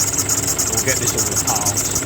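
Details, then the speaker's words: 2012 Nissan Pathfinder 2.5 dCi 190PS, auto serpentine belt tensioner: fast, thin metallic chatter over a steady diesel idle, continual, mistaken for a squeaky belt; tensioner pulley bearings worn out. "It's this um it's the tensioner that is rattling away. I did have a couple of days ago, I did have it all off and then um checked all the pulley and the tensioner is uh yeah, the bearings are toast in it."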